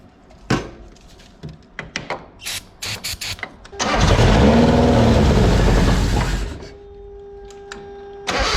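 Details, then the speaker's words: Mazda Miata project after timing marks were checked: short cranking bursts, then it fires on sprayed brake cleaner and runs about two seconds before dying; fuel reaches the rail, owner suspects injectors not pulsing or a fuel issue. "um if i spray brake clean in it it starts up and it'll run for as long as the brake clean allows it to and then it dies out"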